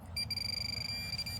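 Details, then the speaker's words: Minelab Pro-Find 40 pinpointer after tapping power to reset ground balance in highly mineralized dirt: clean steady high beep about a second over a nickel target, no ground chatter; working properly. "And here the item is over here, but the ground's not going off."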